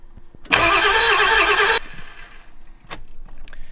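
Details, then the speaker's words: 7.3 Powerstroke turbo diesel E350 van, long sitting: brisk one-second crank without firing; IPR valve commanded 68% but only about 60 psi oil pressure, owner thinks about 500 ICP needed, crank no-start from low injection control pressure. "you could see the ICP the IPR valve was actually demanding 68% and it was only giving it it's like 60 pounds of oil pressure"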